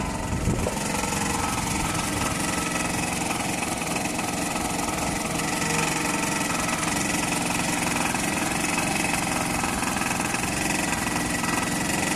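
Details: Toyota 2AZ-FE engine at idle. A constant uneven knocking of about three beats per second under the engine hum; an engine knock of unknown cause.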